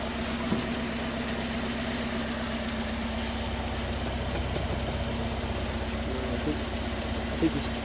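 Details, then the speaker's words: Alfa Romeo Spider after re-tensioning the head following overheating and a head gasket job: steady, even idle at about 900–1000 rpm (cable tach inaccurate), lowered because it idled too high when warm. "and as you can hear the engine's quite quite nice now that we've set that"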